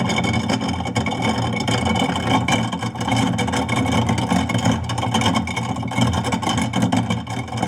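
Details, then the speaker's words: Garbage disposal with rusted, seized impeller lugs, run about 30 seconds with rib bones inside, covered: steady motor hum with loose, irregular rattling and clatter as bones knock around, a good sign that the lugs dislodged. "Letting it rattle around. So, if you notice, that noise actually is a good thing. It sounds good that it actually dislodged there."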